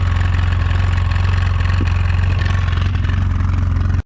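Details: 2009 Polaris RZR 800 S: steady idle with fast, fairly even clatter about three or four beats a second from the rear drivetrain; owner suspects differential, pinion nut or a CV joint/axle, unconfirmed; rear end rattle.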